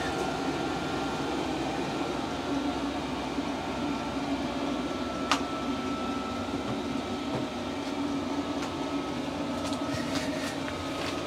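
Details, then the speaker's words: New 8 kW Chinese diesel heater in a greenhouse, first fire after priming the fuel pump: loud steady rushing roar with faint high whistle, no pops or surging, quietening as it settles; normal startup. "It should calm down in a minute. Yeah, start to quieten down."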